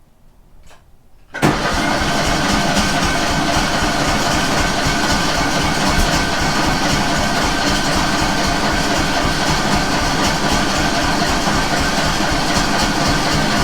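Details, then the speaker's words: Kohler 18 engine only running on one cylinder, choke turned off after strong fuel smell, throttle about three-quarters, fully charged battery: steady cranking with only a faint try to pop, never catches; cranks but won't start, cause unconfirmed. "yeah it should have ran by now so you did i don't know if you can hear it but it did kind of try to pop"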